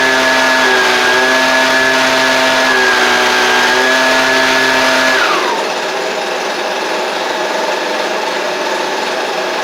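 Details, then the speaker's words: Husqvarna 125B leaf blower two-stroke after swapping in a Hipa replacement carburetor kit for a no-start, started on choke: high steady buzz drops smoothly to a settled tone; runs clean, could use slight adjustment. "Could have, a tiny bit of adjustment that could be done with it, but all in all, that's pretty good out of the box."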